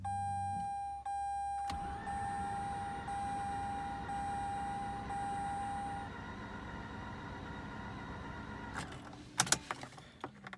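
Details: Mazda RX-8 rotary, possibly flooded; owner fears worn apex seals. Starter whirrs steadily for about seven seconds under a chime with the key in second position and gas floored to clear flooding; it cranks but never catches.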